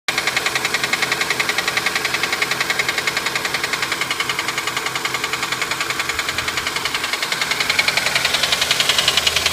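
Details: 2006 Honda Accord petrol engine at idle: steady, sharp tapping or knocking, about three to four taps a second, cause unknown.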